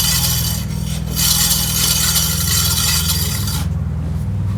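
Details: Aprilia SR 125 scooter, front brake: harsh continuous metallic scraping over a low drone, then the rasp drops away; the pads are completely worn and grinding metal on the disc, which also needs replacing.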